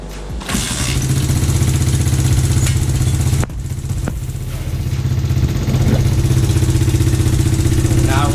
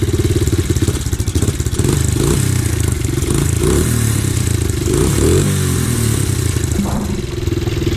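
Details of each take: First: Red Kat Mammoth 90cc pit bike after a full rebuild: small single revs up, then settles into a steady, even buzzing run with no knocks or misses. Normal running. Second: Rebuilt Red Kat Mammoth 90cc pit bike started up after the rebuild: small single revving and settling with a loose metallic clatter over the exhaust note; the exhaust rattles.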